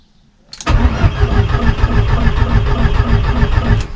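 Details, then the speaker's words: VW Golf 1.8 turbo on its first start attempt, coils and injectors connected. Starter cranks at about three beats a second with an uneven rhythm but the engine never catches; the fuel pump relay 167 had stopped working. Crank, no start. "j'avais mon relais 167 qui marchait plus"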